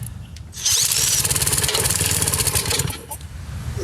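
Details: Old commercial Lawn-Boy mower with Briggs & Stratton engine, non-running, after valve job and engine work, oil topped up and fuel added to carburetor throat: rapid uneven pull-cord chuffing, three to four strokes a second, never catches; cause unconfirmed.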